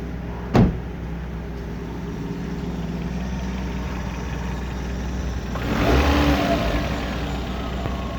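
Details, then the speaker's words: 1996 Toyota Caldina ST195, 3S-GE engine, A540H automatic 4WD, tested in Japan before dismantling: steady even idle climbing smoothly to mid revs without hunting or misfire; normal healthy running. "Так, запускаем двигатель. Обороты держит."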